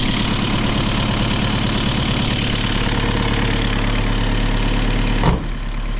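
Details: Kia Ceed 1.6 diesel just started in frost (about -12 to -14 °C outside) with a Dnipro-M JS-12P jump starter after the battery died: steady even idle, smooth low rumble, no knocks or hunting; normal idle.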